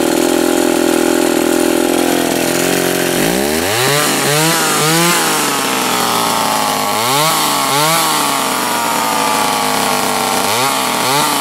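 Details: Old Remington SL-11 A chainsaw, reassembled after repair (oil had been fouling the plug): fires after three seconds and picks up cleanly through several quick throttle blips, returning to steady idle; runs healthy.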